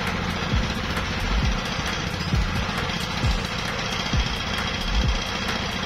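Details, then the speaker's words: CD170 single-cylinder diesel engine that won't start when cold: it now runs but unevenly, with heavy thumps about once a second over a diesel clatter and a drifting, surging beat; the mechanic suspects the injector plunger and plans to adjust the fuel line. "আপনারা হয়তো দেখতেছেন যে ইঞ্জিনটা start হয়ে গেছে, তারপরেও ইঞ্জিনটা start হয়ে গেছে কিন্তু ইঞ্জিন অ্যাকুরেট না।"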